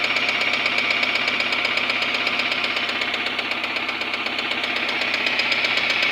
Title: Suzuki grand vitara. жосткий стук мотора